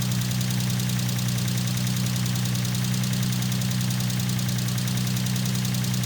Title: G35 Vq35de lifter tick